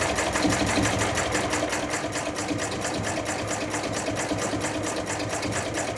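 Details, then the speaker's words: Chinese-built true mini diesel engine under test, now running rather properly: fast light even clatter around three beats a second with buzzy top end, running steadily on its own; normal running. "And yes, I got the engine running, and it's running rather properly."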